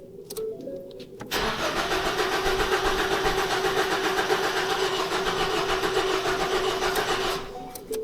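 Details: 2014 Ford Focus cranking steadily, never catching, after timing chain cover replaced; crank sensor code; crank pulley was out of position, and repositioning it made the engine start and run properly.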